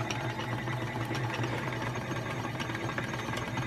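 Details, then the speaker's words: Vintage 1956 RCA 7-TR-2 reel-to-reel tape recorder: low steady motor hum with faint irregular ticking while the mechanism fails to engage, possibly gummed up and needing lubrication. Motor struggling, goes with a little help. "You can hear the motor's humming, which means it's struggling and it's not quite getting there."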